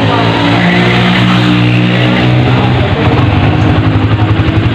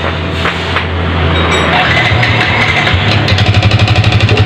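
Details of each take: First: Vixion motorcycle, single cylinder, after piston replacement with an oversize 25 bore to cure a rough, diesel-like engine: revs up cleanly and settles to an even beat with no knocking or clatter; normal running. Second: Yamaha Vixion motorcycle engine running rough like a diesel: hard clatter about four knocks a second over idle, sharper as revs rise; mechanic strongly suspects worn piston slapping in bore, to be confirmed on teardown.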